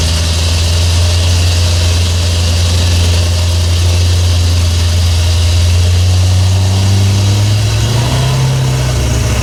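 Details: Toyota FJ40 Land Cruiser after new distributor, cap and rotor fitted (old mechanical advance wasn't advancing), base timing set good: deep steady idle drone, lifting slightly near the end; runs healthy, high idle still being adjusted.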